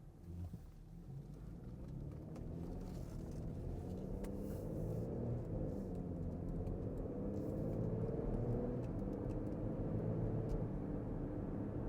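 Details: 2014 Porsche Cayenne after replacing the front differential whose pinion bearing failed, pulling away through the gears: smooth low cabin rumble, no grinding or whine from the driveline; normal quiet drive.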